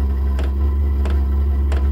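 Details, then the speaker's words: Vevor 12 V diesel heater first startup in garage on battery (power supply couldn't handle 15-20 A); loud low hum with soft tick about every two-thirds second; odd noise noted, cause unclear, smoke exiting. "Ça fait un drôle de bruit."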